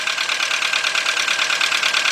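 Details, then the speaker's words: VW Beetle/Golf/Jetta 2.0, bought used, idling under the hood after fuel pump replacement: uneven stumbling rough idle beat about ten per second; misfire, owner suspects a bad original plug wire, not confirmed. "what the heck definitely got a misfire uh we got the original plugs I mean original wires I see maybe it's a bad wire"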